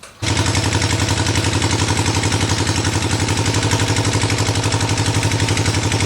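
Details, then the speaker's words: 1974 Harley Ironhead chopper ridden at about 35–40 mph after speedometer install: steady loaded V-twin beat with sharp regular clatter about four per second; suspected knock in front cylinder, possibly lubrication issue. "I don't know but it sounds like it's a little bit of knocking in the front cylinder so I'm not sure if that's just an oil issue it's like a lubrication or what"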